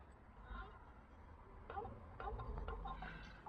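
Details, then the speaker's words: Hyundai iLoad/H1 van with overheating problems. Replacement water pump, about 10,000 km old, turned slowly by hand with the engine off. Faint intermittent bird-like chirping squeaks; owner unsure whether the thermostat or the pump is bad: squeal when turned by hand. "Anyway, so that's what the pump sounds like. So whether or not I got a bad thermostat or a bad pump, I don't know. But it's making a sound."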